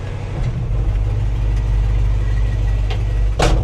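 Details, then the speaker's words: 1963 Chevrolet C-10 with 283 V8, automatic, dual exhaust, at start of test drive: steady, smooth, fast idle rumble, noticeably high idle of unknown cause; may need tuning down. "And of course, anything I see, I point out idle's high. Don't know why the idle's high. Idle's high, though."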